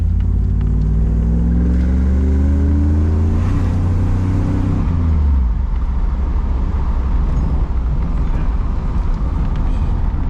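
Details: Third-gen Chevrolet Camaro after replacing the transmission mount: the engine pulls hard with a clean rising pitch under acceleration, then settles into road rumble. The earlier loud clunk on throttle is gone; healthy.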